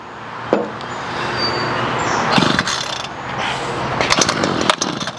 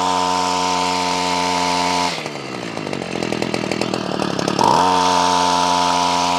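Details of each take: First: Ryobi CS26 two-stroke string trimmer, no start: fuel lines replaced, runs only on starting fluid, barking in uneven bursts then sputtering and dying; air, compression, timing and spark confirmed, so carburetor fuel delivery is at fault. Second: Ryobi CS26 two-stroke trimmer, earlier a no-start, now on a replacement pre-adjusted carburetor with idle raised: steady, even idle, a quick throttle blip, then back to the same smooth idle; runs clean.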